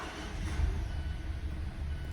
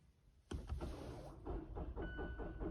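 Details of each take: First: Mazda 2.5L engine (Mazda3/6/CX-5/CX-9, 2014-2023), first start in winter after replacing a roughly four-year-old battery that read about 12.2 V and cranked poorly; deep even rumble settling quickly into smooth idle; normal start. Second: Mazda 2.5L, battery about four years old reading 12.2 V, cold winter-morning start: starter turns over lazily before the engine catches; slow cranking from a weak battery not holding charge.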